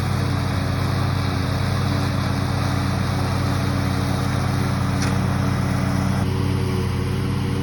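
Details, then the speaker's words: Used riding lawn mower after running down old fuel, refilling with fresh gas and warming up: small engine drones at steady speed with even exhaust pulses, no surging while driven; normal running. "I think it was just the gas or it just needed to be warmed up because afterwards it was running fine"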